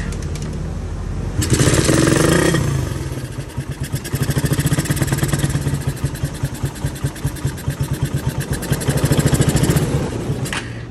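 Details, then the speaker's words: Raider 150 with 28mm carburetor during carb tuning, mixture screw at base setting of one and a half turns out; engine catches and runs a rough uneven putter with a couple of throttle blips. "Anday, ikutin muna natin ng isang buong ikot and half. Okay, ikot tayo. 1/2."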